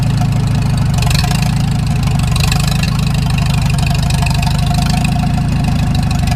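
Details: Farmall Super M tractor petrol engine idling with a deep regular knock over the low chugging exhaust beat, before the engine rebuild to find the knock.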